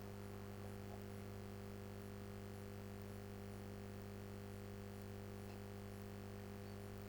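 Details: Philips 138 Mistral Four valve radio after replacing the wax capacitors and three resistors, brought up slowly through a dim bulb to 200 V: steady low mains hum with a faint higher buzz as it warms, no crackle or dropouts; normal.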